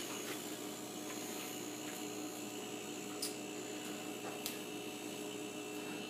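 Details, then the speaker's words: Refrigerator after fitting a Supco 3-in-1 compressor start device: starts with a few clicks, then a quiet, steady compressor hum and faint fan whir without shutting off, a sign it is running normally. "yeah that sounds like a refrigerator compressor running that's the sound I want to hear"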